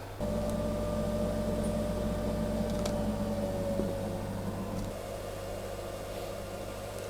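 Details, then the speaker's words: Zanussi ZWJ14591W 8 kg 1400 rpm washing machine after drum bearing replacement, three minutes into the spin. A smooth, steady, even hum with no rumble or grinding, where it rumbled badly before. "3 minutes in and speeding up nicely really it really not make it's really not making a single noise at all it's pretty flash it's nice one of job comes together that's lovely and smooth"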